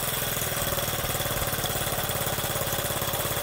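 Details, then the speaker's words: Honda Z50 just after first cold start without choke, chain off, new spark plug: quick, even putter settling into steady idle with no misses or knocking; normal idle. "Yes, it will. She's idling, boys and girls."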